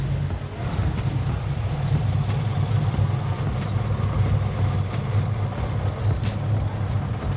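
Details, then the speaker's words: Pandem-kitted Estilo small four-cylinder, first start after a week of engine trouble and repair with added parts. It holds a low, steady hum with no knocks or misses over street background; runs evenly and sounds healthy. "girang-girang akhirnya setelah seminggu nyala juga mobilnya"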